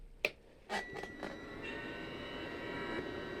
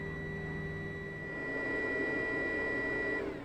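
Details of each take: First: Narrowboat Webasto diesel heater, first start attempt after cleaning the fuel filter, some air still in the fuel system: a few clicks, then the fan spins up into a steady, even whir; normal start, owner suspects it may suck air. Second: Narrowboat Webasto diesel heater after fuel filter cleaning: steady hum and high whine wind down and go quiet after three seconds, a fault shutdown because air is coming through with the fuel; needs restarting.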